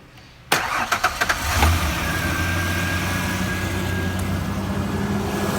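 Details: 1994 Ford Ranger XLT 4x4 junkyard rescue after oil change and new MAF and temperature sensors: short crank, catches cleanly, settles into even idle with faint steady hum, no leaks; normal idle.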